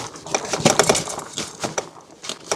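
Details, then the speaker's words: Cyrusher AURA 26" fatbike ridden slowly over rocky, rough ground: irregular sharp metallic clacks and rattles as the chain slaps. "Voyez, on entend la chaîne qui claque quand c'est vraiment du chaotique."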